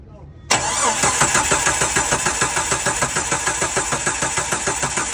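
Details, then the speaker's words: Jeep crank-no-start: even starter cranking at a few beats per second for five seconds that never catches; ECM fault code for the automatic shutdown relay, which powers coils and injectors, with 0 V measured. "I have one fault code in the engine control module for the automatic shutdown relay. Now, I'm pretty sure this ASD relay on uh Jeep Chryslers um that this relay powers up the coils, the injectors and"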